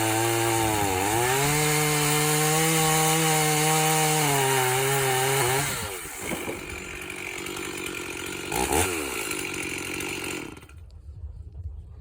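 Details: Rebuilt Stihl 044 chainsaw (Pro Line bearings and seals, NWP crank, Hyway top end) with a 28-inch bar, cutting oak. The high two-stroke buzz dips and recovers evenly under load. Strong, clean running.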